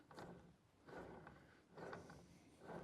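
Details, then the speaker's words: Caterpillar D6600 pony motor, pinion-end clutch/catch mechanism turned by hand during assembly: gritty, gravelly rumble rising and falling with each turn from a rough, dry bearing needing teardown. "That bearing is totally not good."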